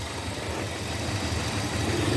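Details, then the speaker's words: 2002 Hyundai XD (Elantra) at idle, engine visibly shaking: lumpy uneven idle with a missing pulse, running on three cylinders as cylinder 1 is completely dead from a broken spark plug wire; fixed by replacing plugs and wires. "بص هنا قد ايه بتتهز المكنه بص مش عارف باين الهزه ولا لا شايف هي دلوقتي دايره على ثلاثه سلندر سلندر رقم واحد قاطع نهائي"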